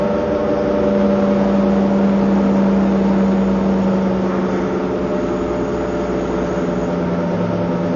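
A steady droning whir holds one pitch through acceleration, loud over the engine, with no clear knock; the cause can't be pinned down.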